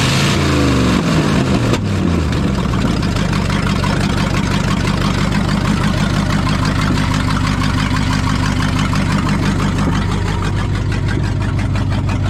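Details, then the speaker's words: 1974 Ford F-750 dump truck sat about 5 years, rebuilt carburetor, just started: catches then settles into uneven lumpy idle about three pulses a second; runs but needs tuning. "Still needs a little tuning on it, but let's just drive it over to the shop over here real quick, just check everything over."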